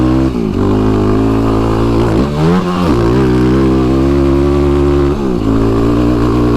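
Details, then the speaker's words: Yamaha YFZ ATV with a newly fitted tuned Vortex ECU replacing a flashed stock ECU, riding: clean rising and falling revs with no popping, banging or backfiring on the overrun. Normal acceleration. "There you can hear that there's no popping and banging going on, which is fantastic."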